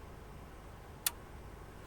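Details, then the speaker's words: Sony XES-M1 car amplifier that smoked at power-up, after replacing the insulator and refitting the transistors: one crisp protection relay click at switch-off over a quiet background; the amplifier works normally. "Voilà, il y a bien les claques qu'on entend bien les claques. Donc notre ampli fonctionne."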